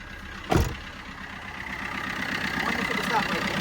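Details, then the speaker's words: Fiat Panda 4x4 with 44,000 miles, auction report flagged engine noise: short crank, catches cleanly and settles into an even steady idle with no knocks or ticks; sounds completely fine. "That sounds completely fine. Yeah, it does."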